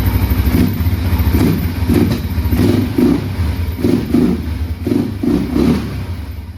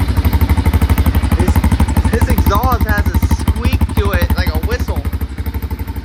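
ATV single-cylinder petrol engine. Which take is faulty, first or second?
second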